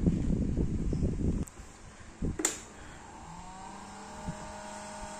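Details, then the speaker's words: Yamaha Xride motorcycle LED headlight cooling fan after several years' use: thin steady whine and slight buzz that grows louder and rougher, caused by a dry, under-lubricated fan bearing. "Otomatis itu udah ada masalah di bagian kipas yang kurang pelumasan."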